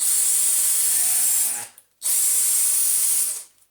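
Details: Dyson cordless vacuum running on a known-good battery: two short bursts of high hissing motor whirr that spin up cleanly and stop; normal running, compared with a DC35 Animal whose trigger micro switch is broken.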